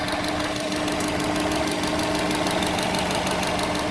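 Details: 2006 Subaru Legacy Spec B: steady idle with a fast, somewhat uneven tapping about three per second, heard parked and when releasing the clutch in first gear, also when warm after 15 minutes of driving; source unknown.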